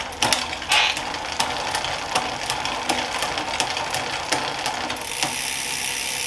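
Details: Planet X Pro-Carbon road bike in the workstand during a gear check: crisp clicks as the chain steps across the sprockets, then even freewheel ticking with no grinding. The gears work, though the rear shifting is a little sticky.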